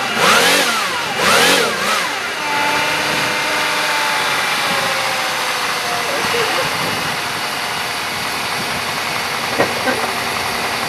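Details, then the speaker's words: 1993 or 1996 Buick LeSabre with a known fuel leak, outdoors in wind: brief crank, quick catch, then steady, even cold-start idle. "well she started pretty good cuz it does have that fuel leak"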